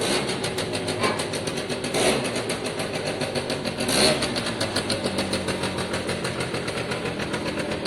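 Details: Piaggio Diesis 100cc two-stroke scooter with a small exhaust hole noted. Light, buzzy idle holds fairly steady with a few throttle blips and picks up cleanly; it sounds great. Normal idle.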